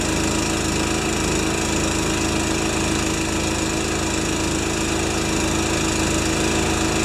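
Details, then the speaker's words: Honda-powered wheelbarrow air compressor after oil change, adjustments, new Kevlar belt, new rewind cord, output switch and gauge: steady, even engine drone with unchanging pump beat, no knocks or misses while bleeding air; normal running. "Oil change, adjustments, new belt, Kevlar belt, and she runs like a Swiss watch."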